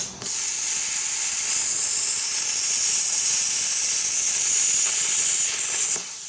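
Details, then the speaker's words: Plasma cutter turned down to about 20 amps, lower than ever run before: steady harsh hiss of arc and air for about six seconds, cutting noticeably slower than at full power. "so right now that's about 20 amp never run her that low so here we go it's cut slower though see how much slower that is"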